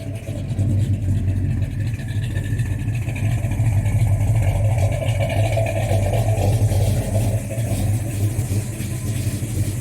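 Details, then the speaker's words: XC Ford Falcon 351 Cleveland V8 cold start after months unused, new spark plugs, timing 14 degrees initial and 34 total; deep, steady rumble with even beat, no stumbles or misses; idling smoothly and healthy. "let's see how bad a cold start is after months and months and months of not leaving the shed so far so good it's idling"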